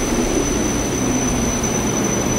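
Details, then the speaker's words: Haughton Type 601 DC gearless overhead traction elevator machine, Schindler modernized, running normally at 1200 fpm (6 m/s) over 34 floors, heard in machine room: loud even rushing roar with piercing high drive whine. "1,200 feet per minute. Very high-pitched drive noise. It's almost to the point where it hurts my ears a little."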